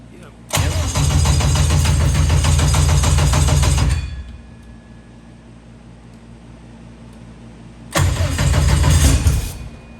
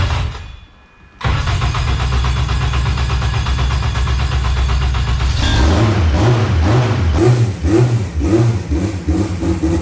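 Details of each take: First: 1000 hp K-series jet boat. Two bursts of steady cranking at about four turns a second with no firing; it only runs when the coils are toggled on after the starter. Ground problem and coil noise suspected: crank no start from bad ground. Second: 1000 hp K-series jet boat that wouldn't restart, after ECU grounds were run directly to the battery and settings reverted. After a quiet pause it catches at once into a steady low rumble and revs up and down cleanly. Normal start and run.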